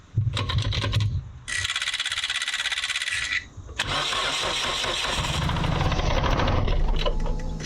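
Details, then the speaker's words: Mitsubishi Lancer CE after resealing spark plug tube seals: starter churns, engine catches but runs lumpy and stumbling; misfire because one ignition coil was left unplugged. "That is not right. What's going on, Red? Doesn't sound good at all. It's broken it. Oh! Oh, I see the problem. Might work better if I plug both coils in."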